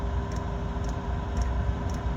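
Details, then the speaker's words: Chinese diesel heater, about a year old and rated 2 kW, started after months unused, in its case: steady low combustion roar with a faint fuel-pump tick about twice a second; burning cleanly. "now normally when it starts you can hear the combustion chamber There She Goes hear it how clean that is because it's in the case"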